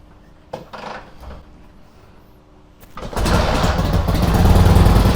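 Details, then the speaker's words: 1946 Harley-Davidson FL Knucklehead, first start in 20 years, kick-started with no choke; a couple of kicks, then catches at once into a loud, even, loping V-twin rumble; clean start, runs well. "Oh, you've got this baby tuned right. Oh my God. No choke. No choke? No. Amazing. Purrs like a kitten."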